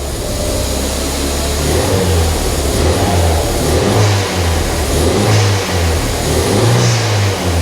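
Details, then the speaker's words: Non-running Ford Fiesta ST180 first start: idles massively high with throttle untouched, raised hunting idle with surging swells; cause is a snapped intake (inlet) manifold pipe fitting giving a massive air leak, engine malfunction light on. "if it runs it's idling massively High I'm not touching the throttle there that's because the inlet manifold broker a bit so engine malfunction"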